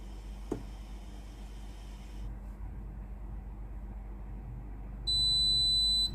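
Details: Philips PSG8160/30 steam iron under test with half to one glass of water in the boiler: after a quiet warm-up hum, one clear high beep about a second long once the light stops flashing, signalling it is ready.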